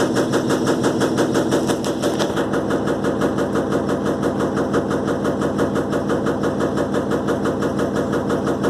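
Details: Electrolux LTE12 washing machine during a suspension test: a fast, even rattle of about three knocks a second holds steady through the spin, suggesting something loose in the tub suspension.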